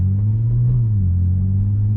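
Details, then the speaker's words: Supercharged Audi after aftermarket mufflers were refitted with aftermarket tips, heard cruising from the cabin: a smooth, even low rumble with almost no drone, the supercharger more audible; still a bit louder than factory but healthy. "This is just cruising around normally. Almost no drone. It's definitely not as loud."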